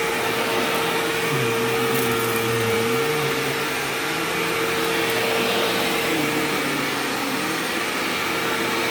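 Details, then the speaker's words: Sharp Twin Energy vacuum cleaner running: steady roar with a thin constant high whistle on top; squeal faded after running a while and returned slightly at shutoff. High-pitched motor squeal, cause unclear. "Now, granted, this is a high-pitched whining noise, so my earplugs are probably not going to filter it out."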